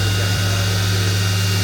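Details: Mori Seiki NTX1000/SZM dual-spindle CNC lathe (79,169 machine hours, 26,832 spindle hours), sub-spindle commanded M34 at 6000 rpm: steady even hum with constant high tone at fixed speed, no knocks or grinding; spindle sounds healthy.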